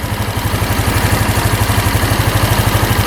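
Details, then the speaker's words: Free small single-cylinder scooter engine at idle after valve clearance and timing checks and a carb clean freeing a stuck slide with a pinched diaphragm: even putt about three beats a second, no knocking; normal idle. "No knocking at all. No noise from the engine."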